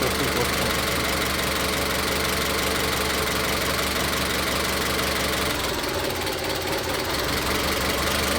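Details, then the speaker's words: Engine with a cylinder 3 ignition misfire, found by unplugging individual coil connectors; uneven idle with a stumbling beat about three times a second that shifts partway through. Rough idle from one misfiring cylinder. "Como se puede ver, ahí encontramos la falla Cuando quito este conector, el motor no falla."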